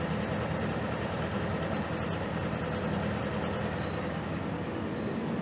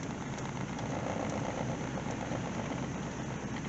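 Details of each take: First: Truck with 268,384 miles, unused since 2012, owner called the engine junk and said it sounded like a butter churn; first start on fresh fuel. A smooth, even idle with a low rumble and no knocking or tapping. Normal idle. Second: Truck with 268,384 miles, running with 50 psi oil pressure, 120 degrees and 14 volts. A steady, even idle with no misses, a little high at 1000 rpm. High idle speed.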